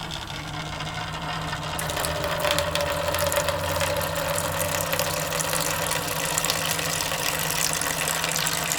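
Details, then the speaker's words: Electric water bottle pump for RV, locked on: after a click, soft steady motor whir, much quieter than expected; normal pump operation. "Well, that's not near as loud as I thought it was going to be, because they keep on saying it's loud, it's loud."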